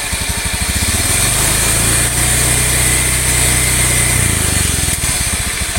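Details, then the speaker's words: Honda Beat FI/ESP automatic scooter: deep drone and gravelly rumble that swell as the throttle is slowly opened, smooth at idle; worn left and right crankshaft bearings inside the engine, not the CVT pulley bearings. "Ini lebih disebabkan oleh suara laher atau bearing krek as, baik yang kanan maupun yang kiri."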